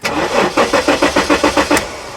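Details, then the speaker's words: 1994 Jaguar XJ6 stored several months, towed in: starter turns engine at a steady even rate with no firing; cranks but no spark and no injector pulse, missing reference signal suspected. "so we got no spark and and no injector pulse which leads me to believe that we're missing a reference signal"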